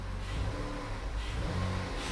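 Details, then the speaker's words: 2014 Dodge Journey 3.6 after cam replacement, check engine light on: freshly restarted, engine revs up smoothly and settles to a good idle around 900 rpm with no misses, knocks or rattles, before the rough running returns; normal rev. "up sounds good sounds like it should idling that you know about 900 rpms good idle"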